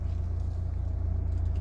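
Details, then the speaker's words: Chevrolet Malibu (Mando 4-piston calipers) in reverse with the brake held, after repair for judder when braking and a reverse squeak; pads worn in three months by hard driving; only low engine rumble, no squeal; brakes quiet. "소리가 안납니다 으 안 나죠 호진 할 때도 소미 소음 없습니다"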